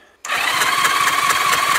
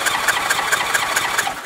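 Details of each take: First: 1981 Honda GL1100 Gold Wing, abandoned with seized engine, compression test with throttle wide open: steady starter whir with even cranking pulses about two per second, no firing; front-left cylinder has no compression, dead cylinder, possibly ring, debris or stuck-open valve. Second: 1981 Honda GL1100 Gold Wing compression test cranking on the starter: even beat about four to five strokes a second, gauge rising immediately; tested cylinder has good compression, while another is marginal at under 100 psi and one is bad.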